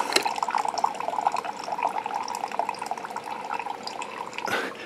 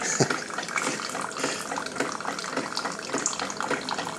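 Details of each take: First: Keurig 2.0, probably about two years old, leaking from the bottom, 4 oz test cup with covers off; irregular splashy trickle of water dripping from the open port where the brittle, disintegrated high-pressure relief valve was, no motor noise. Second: Keurig 2.0 after fixing a disintegrated high pressure relief valve with an automotive T-fitting, brewing 16 oz while checking for leaks: soft trickling pour with faint pump murmur, no irregular spurts; normal dispensing.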